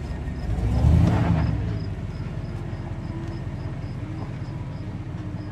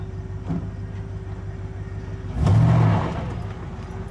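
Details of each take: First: 2500 Silverado with 8.1 L Vortec and Allison transmission, in gear under load, worst in reverse: deep uneven stumbling rumble, about four lumpy pulses a second; misfire at low rpm under load that heavy throttle only sometimes clears, repaired with coils, plugs and wires. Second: 2500 Silverado, 8.1L Vortec with Allison transmission, pulling a boat under load at low speed: deep, even engine note swells cleanly with no stumble or miss after new spark plugs, coils and wires cured a low-RPM misfire under load.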